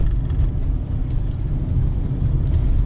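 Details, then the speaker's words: 2019 Lada Granta FL liftback, 47,000 km, after lubricating the door lock striker bolts: steady low road rumble over potholes, speed bumps and gravel with no creaks from the door pillars; quiet door locks over bumps. "смотрите я еду вот у нас ямки все где же more двери больше не скрипят проверено проверенная и на лежачих и на гравийке"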